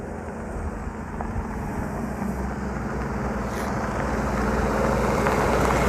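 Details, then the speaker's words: Toyota Corolla rally car after being rolled on Rally Otago day 3, still running: engine drones with an uneven, lumpy low pulse as revs slowly climb; sounds unhappy and rough, cause unknown. "It's not happy. It's not happy. Not stuffed."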